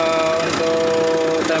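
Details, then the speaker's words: Diesel engine (Mitsubishi Triton/Pajero) idling smoothly and evenly right after timing belt installation: steady hum, no knocking or shrill noise, started on first crank, indicating timing set correctly; normal idle. "udah selesai terpasang dan Serang seperti ini suaranya halus-halus kali ini berarti di tokonya udah bener semua"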